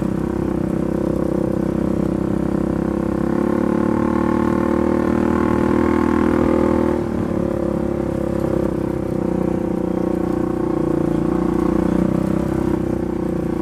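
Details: Polaris 570 ACE engine rebuilt after a dropped crank and rod caused a hard knock; new crank, valves, buckets, high-compression parts; steady, even drone with smooth mid-pitched hum, no knocks or misses, running cleanly.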